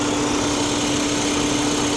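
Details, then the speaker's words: Salvage car with a 2.5 L engine, assumed to be a turbo TDI type: even, steady idle with a constant light hum and no knocks, ticks or misses; runs like a sewing machine, a healthy engine. "listen to her runs like a sewing machine guys"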